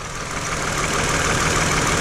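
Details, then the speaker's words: Car with a flashing check engine light and vibration while driving, with previously repaired broken wires; loud idle with a slightly uneven, stumbling pulse under the engine drone; owner suspects a failed ignition coil causing a cylinder misfire. "okay i know this car had broken wires i did work on wires but let's scan the car today maybe one of the ignition coils went bad"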